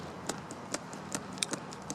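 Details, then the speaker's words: Worn O-ring motorcycle chain flexed by hand beside a new chain; sharp dry clicks, about six in two seconds, as links compress shorter pin to pin from wear at the pins: worn chain pin play. "and you can also hear that the chain actually compresses to a shorter distance, pin to pin distance, than the one that's brand new."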